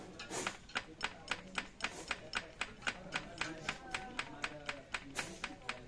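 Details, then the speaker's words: Isuzu Panther 2.3 diesel at idle with sharp metallic ticking about four a second, sounding like valves but from the timing gears; suspected worn, non-original idler gear. Timing gear clatter (worn idler gear). "kita perhatikan dengan jeli, seperti suara ini seperti suara klep, padahal bukan, ini suara gigi. Nah kayak gitu teman-teman. Ini suaranya kasar ini, kondisi stasioner."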